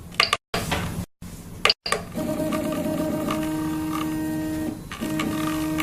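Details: Prusa i3 MK2 after replacing three Y-axis bearings to cure bearing noise: smooth stepper hum with clean tone steps as the bed moves, no rumble or grinding; Y axis now runs quietly.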